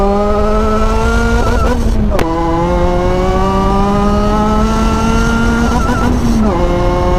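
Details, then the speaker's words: Salvage Ariel Atom that isn't running quite right, running about 15 psi boost (3 psi over stock). Strong, clean engine note climbs through the revs with two quick gear changes while accelerating to the speed limit. No misses or knocks; the pull feels good. "That's about what it felt like. So it's feeling pretty good."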